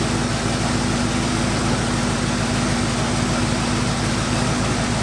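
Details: 1972 Cutlass V8 after 33 years in storage, idling: a deep, even idle with a steady pulse and no stumbles, hunting or misses. It sounds much smoother now; initial timing is about 13 degrees, judged okay.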